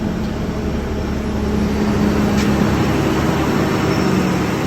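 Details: 1995 Nissan D21 V6 automatic idling steadily and evenly with no knocks or stumbles, after a replacement starter cured slow cranking.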